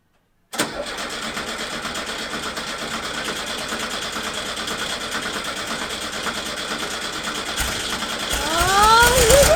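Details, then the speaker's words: 1970 VW Bus, brand-new engine just installed, first start after priming oil pressure: catches almost instantly, settles into steady, even chatter that picks up slightly near the end; normal start and idle. "oh oh sounds good"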